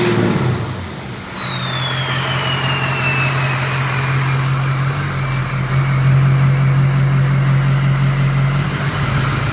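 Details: 6.0 Powerstroke diesel in a race truck build, first start-up with an upgraded 6.4 starter and a 6-inch stack, after a cam/crank sync problem: a whistling spool-down into a firm, even rumble held near 1500 rpm, with no knock or miss.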